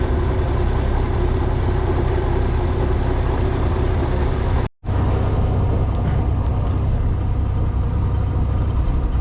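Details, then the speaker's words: 1996 18 ft boat with a Mercruiser 4.3, after new spark plugs. Deep rumbling idle that sounds much better but still drops out for a split second; the fuel pump is to be replaced next. Intermittent misfire at idle. "well we're still having a little breakup issue but it sounds a whole lot better it's idling I'm trying not to fall it's idling like normal uh but the problem I have is it's just cutting up a little bit still"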